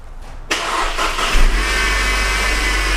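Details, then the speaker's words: Mercedes, hood open at startup: a thin high whine like a dental drill rides over the idle. The source is a failing idler pulley bearing up top on the engine, not the timing chain. "okay and you can hear another whining kind of like a dental machine okay let's give it gas"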